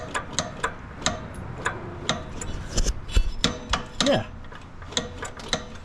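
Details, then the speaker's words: John Deere Scotts 20/48 riding mower: irregular sharp metallic knocks, about two per second, over a quiet engine; owner first suspected rod knock near the flywheel but traced it to the noisy PTO clutch. "Okay. It's the PTO. That's odd. It makes a lot of noise."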